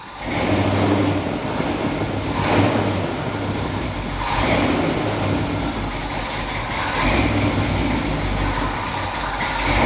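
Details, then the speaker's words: 1978 Jeep J10 Honcho after 15-20 years sitting, carburetor: engine surges and sags with throttle blips, won't idle without gas; accelerator pump goes down but doesn't return, being pulled up by hand to feed fuel. "So what I'm doing is every time Jeremy hits the gas, the accelerator pump goes down but doesn't return. So I'm literally manually pulling it back up to the top so that it'll let more fuel into"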